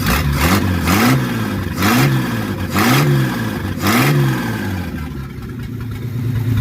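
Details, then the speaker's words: 1947 Plymouth Special with replacement engine, first run after sitting since 1975, valves adjusted and firing order corrected: revs up and drops back cleanly about once a second, no stumbling or popping; running smoothly. "to start jumping wires around while it was running and it smooth it out sounds like a race car now"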